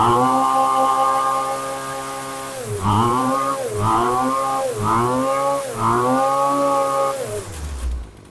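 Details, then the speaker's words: HomePro F222 two-stroke trimmer after repair: a cracked primer bulb had let air in, making it run lean and lose power. With a new homemade air filter, it revs up and drops back smoothly on four throttle blips, then idles. Good response. "Has good response to everything. So we're lucky this is a primer bulb. It must have been sucking air in there."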